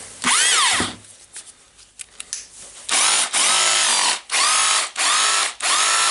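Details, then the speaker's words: Makita DHR202 cordless rotary hammer after repair for loss of power, brushes refitted, battery-powered test: five or six strong, even bursts of fast hammering chatter that start and stop cleanly. It runs normally and chisels again. "Sounds good. Need to try how it holds the tool and how it's chiseling."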